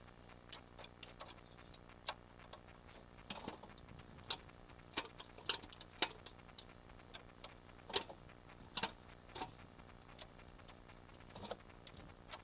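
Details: VAG AAM 1.8 engine, 75 hp: sharp, uneven little taps over a faint hum, a distinct knock inside the engine whose cause isn't pinned down.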